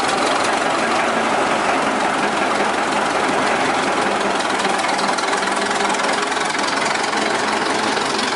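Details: 1926 Twin City gas engine in a Northwest 105 dragline, running steady: a hard, even knock rides over the clatter. Worn connecting rod knocking, needing repair before it ventilates the block.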